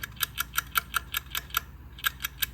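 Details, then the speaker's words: Engine that failed during tuning, lifter worked by hand after pushrod removal with one pushrod excessively worn: sharp, dry clicks about five per second, loose inside; suspected lifter C-clip came apart. "it shouldn't sound like that see should sound like that I'm almost betting the um yeah the um the little it's like a c clip that holds the lifter together I'm almost betting that came apart"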